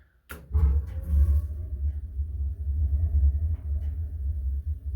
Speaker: Okay, so it kicks on right away.